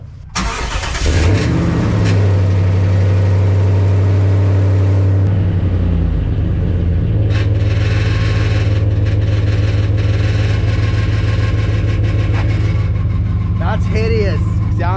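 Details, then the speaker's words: Dodge Ram with a burnt-through makeshift, previously welded exhaust, before replacement: engine cranks and catches, then a loud raspy, rattling drone at idle and on revs; air audibly escapes and it rattles like crazy, an exhaust leak. "When I'm driving, I can actually hear some of this air coming out. And then it's also rattling like crazy."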